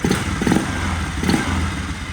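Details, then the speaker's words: 2004 Polaris Sportsman 400, overworked farm ATV under inspection, running on a new battery: short burst of single-cylinder putter with a few dull thumps, holding speed without dying or sputtering; the engine runs fine. "they were probably pull starting it and it wasn't running right, but with the new battery in it, it's running just fine."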